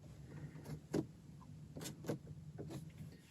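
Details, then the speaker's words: VW Mk1/Mk2 Cabriolet vacuum vent selector, after reassembly and lubrication with silicone lubricant to fix a stiff lever: a few dull clicks and thumps as it moves between positions, no squeak; it works smoothly, like new. "it sounds perfect there's no squeaking sounds and it feels like it's brand new"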